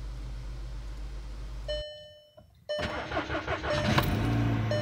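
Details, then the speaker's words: 2013 VW Jetta at 80,000 miles, cold start-up: petrol engine cranks and catches with a lumpy, uneven misfiring beat, reportedly worse at 3000–4000 rpm; ignition-system issue suspected, not confirmed. "unstart up oh man it is misfiring"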